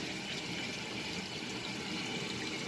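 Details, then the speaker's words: 1966 Frigidaire Rollermatic washer filling through the hot inlet: steady rushing water, no hum or sputter; normal fill after a previously stuck-open hot water valve was fixed. "of course we've got hot water now this machine prior to me getting the previous video I had to manually fill the Machine the hot water valve was stuck open"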